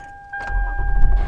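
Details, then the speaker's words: Engine of a V6 vehicle starting on a fully charged battery, before draining it to test a jump starter: quick catch after a short crank, then a smooth low rumble; normal engine start. "you can hear the engine going right so I'll turn it off at this point"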